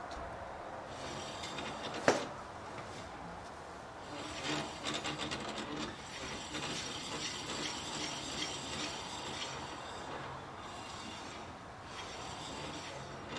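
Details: 2007 Chevy Impala rear brakes, car on jack stands with the wheel off and the hub turned by hand. A quiet scraping rub comes and goes with one sharp click; brakes suspected, source unclear: rubbing noise.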